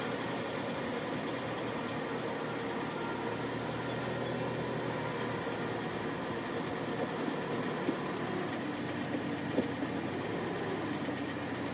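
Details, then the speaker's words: Hyundai after repair of failure to shift out of park: engine catches and settles into quiet even idle with no knocks or misses over faint background noise; sounds healthy. "Okay, now let me get. Sounds good. Let's see. Does good."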